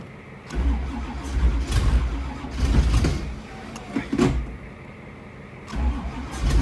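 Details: 1985 Camaro Z28, cold start near 2 degrees with battery charger: repeated slow starter cranking in uneven bursts, never firing; long crank, no start.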